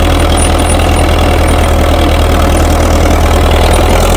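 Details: International TD-6 crawler, revived after 11 years sitting rusted stuck, switched from gas start to diesel after the #4 cylinder misfire fix. Steady low chug at idle, even firing with no misses or knocks: running clean.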